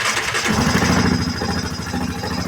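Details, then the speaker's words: 2007 Yamaha Grizzly ATV after fuel pump replacement and fuel injector wiring fix: short crank, single catches within half a second and settles to a quick, even idle; starts and idles normally, though it smokes heavily under throttle, top end rebuild needed. "Bam. It's rolling. It smokes like no tomorrow though."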